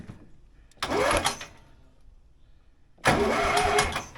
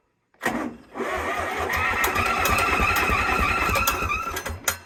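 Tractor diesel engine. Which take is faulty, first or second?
second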